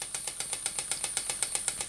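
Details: Stuart model "donkey" steam water pump (6 cm3, no crankshaft, slide valve, rated 40–400 strokes/min) running slowly on compressed air from a small compressor; crisp evenly spaced clicks about seven per second with steady hiss, normal running.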